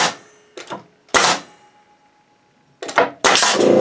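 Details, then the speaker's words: Bostitch N75C-1 nail gun on a Makita MAC2400 compressor, regulator at 100 psi, tank starting full at 130 psi: sharp single bangs with air hiss between shots, compressor starting up at the end; normal firing. "okay guys that's what I wanted to see yeah she works really nice and it pumps that pressure up real fast pretty impressed with this unit"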